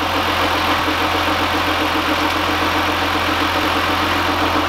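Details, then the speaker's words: 2015 GMC Sierra at idle: a steady low hum with quick, uneven ticking, an odd engine noise that seems to come from one side but may be echoing; the source is not yet found, and the plan is to pull the belt and retest. "if you take the belt off and start it and see if it still makes noise it sounds like it's coming from over here but it could be echoing over"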